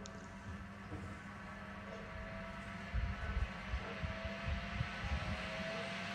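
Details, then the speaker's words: Zanussi SD 2811/W spin dryer running empty: steady low rumble with a faint rising whine as the drum spins up, very quiet with hardly any vibration; sounds healthy, brake a bit dry. "wow that sounds sweet that is sweet as a nut let's hear the whistling inside God that is very quiet hardly any vibrations on it"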